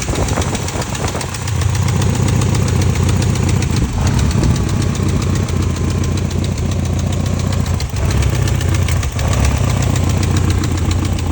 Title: 1989 E30 M3 S14 Engine Ticking Noise 170K Miles